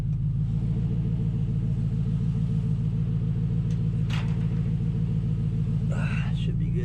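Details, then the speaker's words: 2005 Nissan Titan idling after a Walbro fuel pump rebuild, muffler removed: loud, lumpy open-exhaust idle with an occasional loose metallic rattle from the exhaust hanger left hanging up; exhaust hanger rattle. "woof that uh exhaust hanger i had hanging up is rattling"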